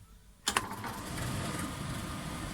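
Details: Indesit 7 kg tumble dryer, reassembled after repair of a strange noise: a sharp start, then an even, steady running hum with no knocking or grinding; the dryer and its pump sound normal.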